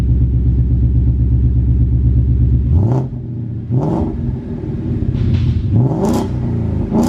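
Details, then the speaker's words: Cold start of rebuilt wrecked 2015 Ford Mustang GT V8 just after installing a new aftermarket exhaust: deep even rumble at fast idle, clean throttle blips, no ticks or rattles; healthy engine. "all righty guys I'm not sure how good was he showing up on camera or the sound quality but man this thing sounds good the best $350 I've ever spent"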